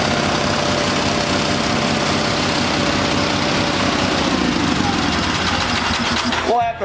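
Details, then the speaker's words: Old Onan small engine after new points and condenser fitted, running at half throttle with no arcing: steady, even single-cylinder speed without misfire, cutting out cleanly; normal running. "oh it just started at half throttle and see what happens"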